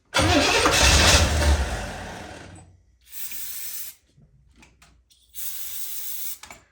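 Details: 1984 Corvette 350, Crossfire injection swapped for an Edelbrock carburetor and intake, fuel pump not yet hooked up: a short burst of rough catching that dies, then two brief cranks that never fire, likely fuel-starved; crank no start.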